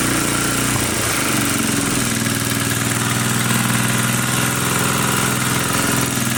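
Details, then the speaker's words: 1980 power tiller (rotovator) with Briggs and Stratton single-cylinder engine, after restoring spark: steady, even beat at fast idle with no clacking or misfires; runs fine, carburetor cleaning may not be needed. "okay maybe we will not be cleaning a carburetor after all it seems to be running it's just fine"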